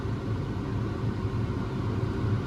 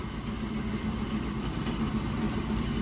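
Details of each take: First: Grain cart auger running off the PTO: a heavy low rumble with a rough gritty churn and violent vibration as the auger hits its flighting; left as is until the parts wear apart, likely speeding wear. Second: Combine unloading auger running with a steady low drone and even churning, no grinding or clanging; it had ground and clanged when nearly empty and the PTO struggled, but after the auger was unfolded and refolded it ran normally.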